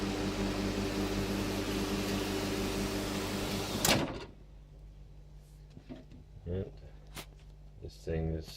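Steady low hum with a fixed buzz for about four seconds, then it cuts off to quiet clicks; the microwave is running normally.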